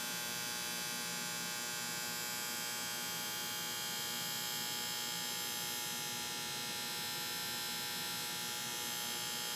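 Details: AC condenser unit with a bad start capacitor: constant electrical buzz with no sign of the compressor spinning up, compressor humming and failing to start.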